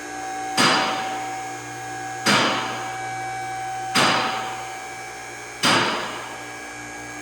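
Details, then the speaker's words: Challenger CL10AV3-2 three-phase car lift raising with its arms set for a Volvo; steady motor hum with a sharp metallic clack about every 1.7 seconds as the automatic safety locks catch, normal operation. "Yeah, you'll hear the locks clicking. It's got automatic lock. You don't manually lock anything as you raise it. They automatically lock, which is really nice."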